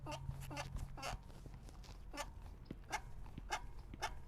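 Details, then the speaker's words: Rockrider budget hardtail coil-spring suspension fork being compressed; sharp squeaky chirps on each compression come from inside the right fork, and external greasing did not help. "you hear that there's a squeak coming from the right fork right here and it's something inside because i did grease these already and it made nothing"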